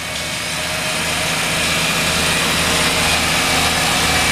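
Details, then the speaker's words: Mazda RX-7 FD Type RS rotary at cold idle after removing the AC belt; smooth even rotary buzz, no scratching or rubbing from the engine front. "Okay, that scratching noise has definitely gone away."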